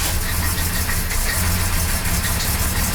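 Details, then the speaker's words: 1975 Jaguar XJ6 daily driver, idling right after an exhaust leak repair: smooth, even six-cylinder idle with a steady low hum, no puffing or ticking from the exhaust; runs quiet. "Alright. Sounds nice and quiet. Let's go out and see what it sounds like."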